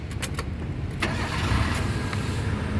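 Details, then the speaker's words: 2003 Mitsubishi Lancer Cedia 1.6 GLXi manual, about 193,000 km, started in neutral: brief crank, then it catches quickly and settles into an even idle; prompt start with no hesitation, so no sign of a weak battery or starter fault. "pada saat kita Nyalakan mobil pastikan bahwa nyalanya itu jereng karena apa kalau dia nyalanya tersendat Berarti ada kemungkinan permasalahannya bisa jadi di akinya sudah soak atau bisa jadi di dinamo starternya yang bermasalah"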